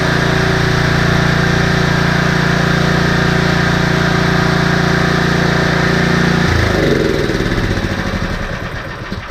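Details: Husqvarna ST330T/ST332 snowblower that wouldn't start, oil black and smelling of gasoline: steady, even single-cylinder beat at fast idle with no misses, then winds down and stops; runs properly.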